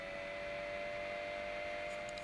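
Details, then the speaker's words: Anycubic i3 Mega 3D printer, original 50 mm control board fan: faint, steady hum with a soft, high whirr and no rattle or wobble; running quietly and normally. "although this one is quite quiet this is a 50 mil fan and this is what it sounds like"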